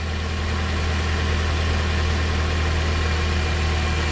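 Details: Car idling with the battery disconnected and the meter reading 15 then 14 V. Smooth, even low hum with no misses or knocks: healthy idle, and the alternator charges properly.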